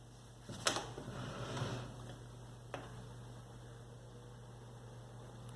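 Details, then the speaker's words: Antique General Electric oscillating fan from the 1930s, motor cleaned years ago, on low setting: soft steady low hum with faint blade air noise; motor runs quiet and even, normal. "Mind that this is on the low setting, so very basic in terms of how fast this blade can go. Got a little bit of wind noise in the front. Very solid."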